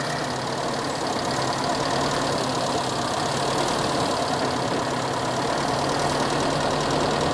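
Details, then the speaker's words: Kijang engine being set up with independent ignition: uneven idle stumbling about three beats a second with a hitch; one cylinder had no spark at its plug lead, possibly a poor CDI socket connection. "nah ini mungkin terdengar di mikrofon tek tek tek tek nah ini jadi pengapiannya tadi memang mati"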